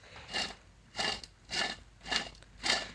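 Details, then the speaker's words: New replacement alternator for Honda CRX, spun by hand, just under two turns a second: soft smooth whirr, no grinding or rumble, pretty quiet as expected; normal bearings after replacing failed alternator. "here's a new one pretty quiet as you would expect"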